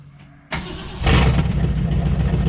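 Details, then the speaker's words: 1965 Ford Falcon, sitting for years, cranked in neutral because park can't be found: catches after a brief crank and settles into a loud, deep, raw idle rumble through broken-off mufflers. "It sounds good with broke off mufflers."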